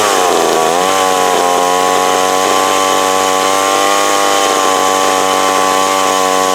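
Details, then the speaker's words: McCulloch Mac 120 chainsaw, older saw apparently taken apart before, one screw missing; loud buzzing two-stroke revs up, dips, then holds a fairly steady high pitch, running decently after adjusting the carb screws, may still need slight tweaking. "If it was, I'm happy with the way it sits. I mean, it's running."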